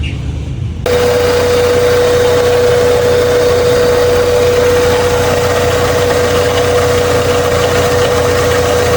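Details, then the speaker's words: Honda Civic ESi with a newly installed power steering pump, belt at about half-inch slack, bleeding air by turning the wheel lock to lock. Even idle with a faint, steady pump whine; the pump is working normally. "Nagpa-pump na ng fluid, tapos nilalabas yung hangin. Kaya kailangan tuloy-tuloy lang yung pag-ikot tsaka sa kaliwa tsaka sa kanan ng steering wheel."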